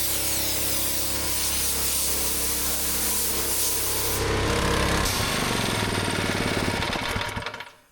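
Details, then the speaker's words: Rebuilt old gas-powered air compressor running up to full pressure: fast, even pumping thump around four beats a second over a steady engine drone; works as it should, slight leak only while a valve is open. "So this is working exactly as it should now."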